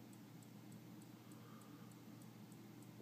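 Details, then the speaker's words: HP Bestec ATX-250-12Z power supply (P/N 5188-2622), flashing green light, PC dead with no fans or drives spinning: faint sharp ticks about three per second over low hum; clicking from a failed capacitor. "clicking pulsing uh nothing happens when you push power none of the fans are spinning hard drive aren't spinning nothing happens it just clicks"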